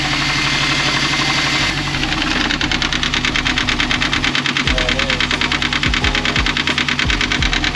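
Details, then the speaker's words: 2004 Subaru WRX wagon boxer engine idling with a steady sharp knock about three times a second; timing belt tensioner pulley spins freely and compresses by hand, loosening the belt; knock from failed tensioner, not rod knock. "this pulley right here I can spin it freely with my finger that should not spin freely okay physically compress it myself there's your knock"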